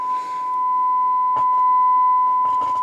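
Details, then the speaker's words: Knight KB-85 stereo tube amplifier after EF86 and 12AX7 tubes were reinserted correctly: clean steady test tone from both channels with a few clicks, no crackle. "We've got good signal feeding through both sides of this amplifier."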